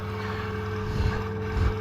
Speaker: that real fine stuff there what just blew around the half and actually out of the heater that's why it's making that noise